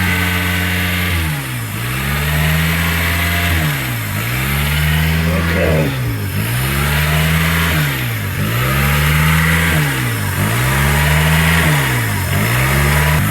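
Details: 2003 Honda, code P0507 (idle air control higher than expected), recently overheated: idle surges up and sags about every two seconds at high idle, never settling. Hunting idle; vacuum leak suspected.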